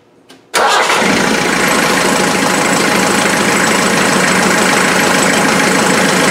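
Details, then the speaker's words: Land Rover Defender 2.5 naturally aspirated diesel on first start after fitting new injectors: starts instantly and holds a steady, even idle clatter with no missing cylinder; the manifold is evenly hot and the injectors are firing perfectly. Normal idle. "nice nice function turn it off the manifold is nice and evenly hot those injectors are firing perfectly"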